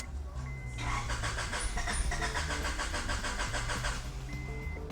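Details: 1995 Honda Accord (non-OBD) towed in for a no-start: starter spins the engine evenly, about three turns a second, without catching, even with starting fluid; owner suspects a fuel problem, no fuel pump heard.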